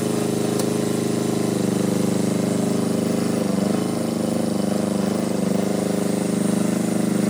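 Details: Power Pony with a two-cylinder Perkins diesel, after bleeding the fuel system: steady chug about two beats a second, even and unbroken with no misses; normal running.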